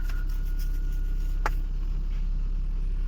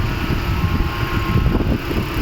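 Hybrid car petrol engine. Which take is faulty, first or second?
second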